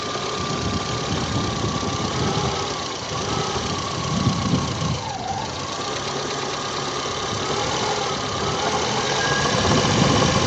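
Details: New VAZ 2109 alternator, under 10,000 km, gives a loud droning hum that is silent at idle and rises and falls with revs; bearings were suspected, but the cause was a loose mounting bolt.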